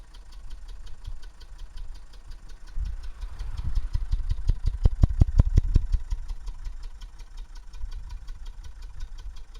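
Diesel idle with an even pulsing puff, about three a second, that swells sharply for a moment; unusual exhaust sound, cause unknown.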